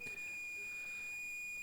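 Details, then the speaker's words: Unknown cassette tape thought to be ZX Spectrum, game Leapfrog: steady, unbroken high whistle with no Spectrum loading stripes, the lead-in carrier of a BBC Micro recording; definitely BBC Micro data. "yeah bbc i'm afraid that leapfrog is definitely bbc"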